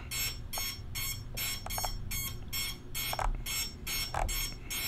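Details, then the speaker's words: Quad with FrSky-style receiver bound to Jumper T16 Pro multi-module during frequency tuning at full power: sharp chirping beeps about twice a second over faint hum as the link is lost on the high side of the fine-tune range, around 66, receiver in failsafe. "so it's basically a fail thing right yeah I'm in failsafe on the high and I'm gonna go back down"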